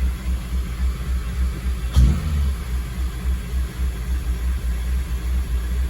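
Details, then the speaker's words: 2002 Acura RSX Type S with K20 engine, warmed up after a couple of minutes: a throttle blip, then the idle keeps rising and falling in a pulsing surge; the idle air control valve (IACV) is then tested. "But you see the pulsating now, right? Pulsating with an attitude there."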